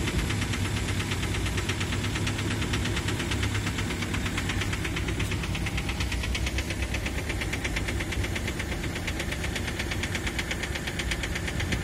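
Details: 2003 Ford Mondeo 3 2.0 TDCi (FMBA) with Delphi common-rail injectors EJDR00301Z, idling: sharp fast metallic injector knock caused by a malfunctioning multiplier (return) control valve in the injectors.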